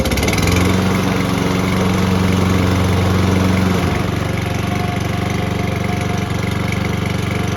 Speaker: as you guys can tell she works